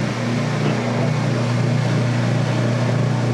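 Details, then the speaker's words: Whirlpool direct-drive washer in spin: steady low drone with soft uneven rubbing from the turning spin gear in the transmission; normal spin sound. "I don't know why it makes that sound in drain and then a rubbing sound in spin cuz all it's all it's doing differently is the spin gear is turning"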